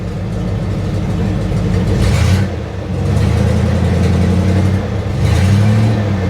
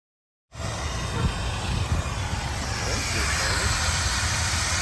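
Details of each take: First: 1976 Chevy or 1964 Chrysler after capping taped-over vacuum ports (suspected vacuum leak): low, even idle with a couple of light throttle blips settling straight back; smooth and running clean. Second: 1976 Chevy or 1964 Chrysler, parked for decades, on a hot-day Tucson-to-Kansas City road trip. Heard on pulling up: engine rumbling at idle with a steady hiss as coolant boils and vents from overheating.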